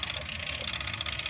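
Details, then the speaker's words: Sanyo VHR-H519 VCR (probably late 1990s to early 2000s) during playback: a steady high-pitched ringing holds over the transport whir, and the owner suspects it comes from the tape itself rather than the deck; not confirmed. "yeah the Ring's coming from this tape"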